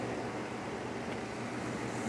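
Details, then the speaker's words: Chevy Silverado V8 after roller lifter replacement and head rebuild to factory specs; previously a ticking noise as if something broken inside. Now quiet, even running with a steady low hum and no top-end ticking. "así que ahí está cámara muestra cómo quedó esta chevy silverado trabajando al 100% suscríbete y gracias"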